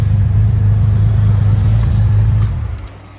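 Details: 1989 Honda Goldwing after carburetor synchronization with gauges: smooth, even low rumble holding steady, then easing down cleanly without stumbling; carbs balanced, engine runs healthy.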